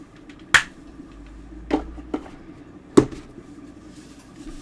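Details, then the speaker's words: Apple HomePod reported to pop: sharp isolated pops, three in under five seconds, over a quiet room; loud speaker popping. "Wow. Okay, yep, that pops pretty loudly. Okay. They're not lying."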